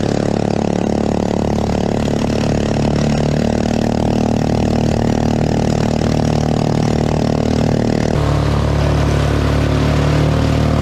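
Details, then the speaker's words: Homemade jet boat unit with a 212cc 6.5hp Honda-clone four-stroke: loud low single-cylinder drone, revs sagging after about eight seconds; engine labouring, boat moving slowly. Cause suspected, not confirmed. "yeah sounds like it's struggling well guys real loud and real slow"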